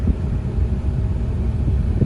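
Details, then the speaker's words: 2005 Nissan Pathfinder after the blower motor resistor was replaced: the blower on speed 4 (full blast) gives a steady, smooth rush of air with no squeal or rattle; fixed and working normally. "All right, so we got it on 1, and right away you can hear the blower going. 2, 3, and on 4 we're at full blast."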